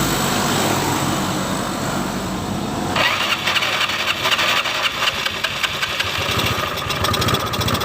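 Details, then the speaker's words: Scooter (matic) that would not start, after the starter motor was repaired and refitted: starter whirr, then the engine catches at about three seconds and settles into a steady, even idle. The starting system now works properly. "Oke, udah hidup nih, udah hidup. Nah, jadi inilah hasilnya dari perbaikan kami tadi."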